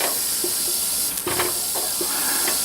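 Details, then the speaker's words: Presto pressure canner cooling down after canning pulled pork, gauge needle at zero but lock still up: steady high hiss with faint sputtering ticks as remaining pressure bleeds off; normal release hiss. "there is still some pressure in there as you can tell because the lock is still up and this sucker is still hissing"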